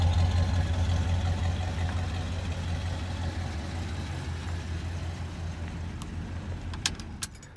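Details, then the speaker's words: Original 1978 Chevy pickup V8 at idle. Very quiet, even low rumble with a few key jingles near the end; can barely hear it run, like brand new, idling smoothly and healthily. "can't even hear that thing run it's like brand new"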